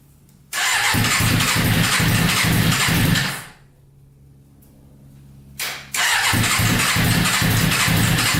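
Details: Custom Yamaha Banshee with 600cc sport bike engine swap, not run in a while, no tank fitted, choke on after freeing a leaking carburetor float: catches and runs fast and even three seconds, cuts out, fires again; stalling from fuel starvation.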